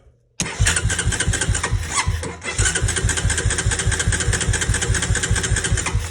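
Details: 2003 Honda Recon 250 ATV, sat unrun for many years, choke open, starting spray used, new coil: steady starter chugging about two or three beats a second with no firing catch; cranks but will not start.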